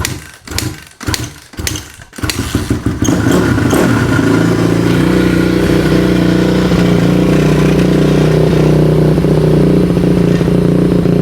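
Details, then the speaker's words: 2002 Honda CRF450R four-stroke, previously non-running with no spark, first start after the head was torqued to 44 ft-lb: four cranking bursts, then fires into a strong, even idle; runs well, an odd noise possibly from a mount. "It runs, baby, bro. So freaking stoked."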